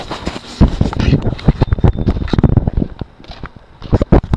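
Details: Hummer idling: sharp, irregular clicks and pops over a low, rough idle; cause unclear.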